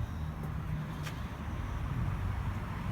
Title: M113 rough idle help please comment